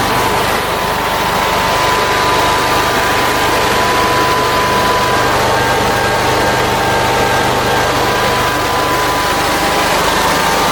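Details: Generac generator with Briggs engine, first start after governor rebuild with the governor speed already set: steady, even drone with a constant high whine, no hunting or surging. It holds speed smoothly and runs healthy, voltage slightly high and not yet adjusted.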